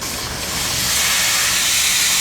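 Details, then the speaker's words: BTU analyzer sample conditioning system enclosure being purged with nitrogen through a plug and tube: steady high-pitched hiss, no sputter or whistle; normal purge flow. "I brought uh I brought in a plug, which we're going to purge this box with nitrogen. This tube got to be purged."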